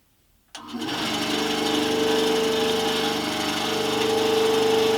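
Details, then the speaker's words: Scheppach HBS20 band saw after blade change and tracking adjustment, run for a minute with the door closed: switches on and settles into a smooth, even hum with no knocks, rubs or flutter; normal running. "Well, that all seemed to go well."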